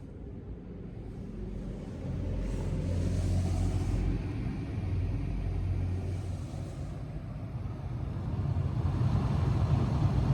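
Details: Honda Freed Spike Hybrid cabin A/C blower after replacing the faulty blower fan, which had made a buzzing noise: smooth, low airy rumble swelling and easing, with no whine, rattle or scraping.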